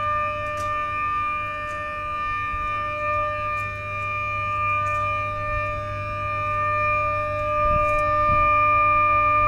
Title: 500kV HVDC Smoothing Reactor Humming Sound At HVDC Terminal Station